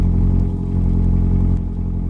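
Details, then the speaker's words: 2009 Evinrude E-TEC 130 hp first-generation outboard on flush muffs during winterizing, high idle lever lifted after the light test: steady, even fast idle with a smooth low hum, no knocks or misses, indicator lights flashing; normal fast idle. "once the light test turned off again we'll need to lift the high idle lever up and as you can hear the engine is now idling higher and the lights are all flashing"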